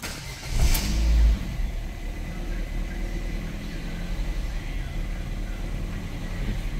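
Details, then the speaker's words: Ford Fiesta on a cold start, before repair: engine catches, then the idle surges up and down erratically; live data shows an erratic TPS reading. "see what's happening there surging around and if we go to the screen what can we see that tps number is very erratic"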